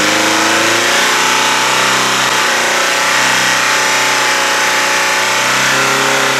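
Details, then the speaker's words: Chevy Aveo, about 100,000 km, oil drained, final run revved until it quits: harsh, rattling, wavering high-rev roar; engine failed, leaving a big hole in the bottom of the oil pan. "oh well sun death went half decent there's a big hole at the bottom of the uh oil pan right now there's like a an explosion somewhere"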